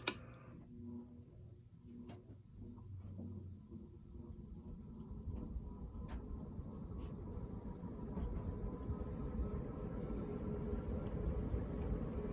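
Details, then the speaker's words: Ritz Petite ceiling fan in antique brass, later 3-speed version, started from a stop: quiet hum swells steadily over a dozen seconds as the blades wind up to high speed. Smooth and even, no rubbing or clicking; normal startup. "And I'm now going to go ahead and do some startup noise, because I'm pretty sure this fan has some really nice startup noise."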